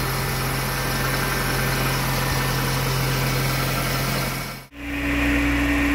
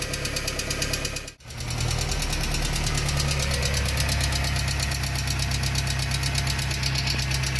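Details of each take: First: VW AP 1.6 G3 Flex engine on ethanol, fully warm with the radiator fan on after a cold-morning start, idling evenly with no lifter ticking. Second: VW AP 1.6 G3 flex petrol engine ticking quickly, about three a second, at idle right after restart from hydraulic lifters not yet filled. Oil pressure was 3 bar cold, dropping to 1 bar hot at idle. The oil pump was replaced and a larger oil filter fitted.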